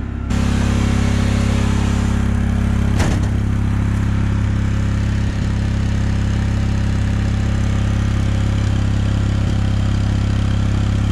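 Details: Generator in a bus-to-RV conversion fed by a new 12 V 5.5–9 psi fuel pump, checking the needle valve against the pressure. Steady deep drone at one even pitch for ten seconds, no stumbles or surging. Runs smoothly.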